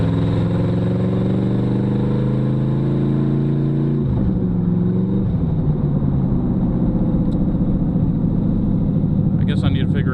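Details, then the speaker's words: 2006 GMC Envoy with swapped 1970s 305 small-block V8, first test drive: engine drones at high revs, pitch climbing, automatic not upshifting; kickdown cable suspected, later found modulator valve not hooked up. "shift it is not shifting um could be something simple ah the kick down cable is not hooked up"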